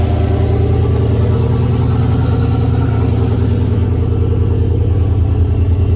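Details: Oldsmobile 442 V8 just after first start following rebuild (new cam, pushrods, oil pump, valve springs, heads, gaskets); deep even lope, about three pulses a second, no knocking or ticking; oil pressure 92, later 86 psi.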